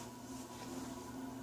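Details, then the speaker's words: c.1974 SMC/Wilcorp industrial/commercial ceiling fan on solid-state speed control at medium speed, drawing about an amp: steady low hum with faint even tone, no ticks or rubbing; living room quiet, normal. "Yeah, that's living room quiet."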